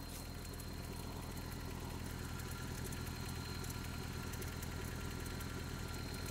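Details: Just-bought Toyota 4Runner 22RE, cold start and rev, filled with 5W-30 oil: idle with a light, steady rapping on the engine beat. Owner suspects timing chain and/or rod knock, unconfirmed.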